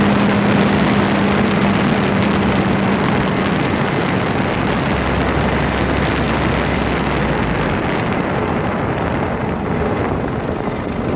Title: Freelander 2 Grinding noise, phone is taped close to front differential